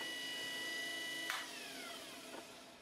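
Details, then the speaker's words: Washing machine brushed motor wired via terminal block and fed with +12 V, spinning freely: thin steady high whine with a sharp tick partway, then the tone eases and sags; running normally. "Et donc si j'allume et que je mets mon plus 12, vous l'entendez bien, mon moteur est en rotation."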